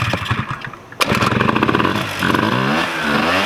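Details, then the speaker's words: 1987 Honda Aero 50 scooter started without its ignition relay on the original muffler, throttle held slightly as idle needs adjusting: catches sharply, settles into a fast, slightly uneven buzz; normal running. "Wow, that fires up no problem. It's on. There it is."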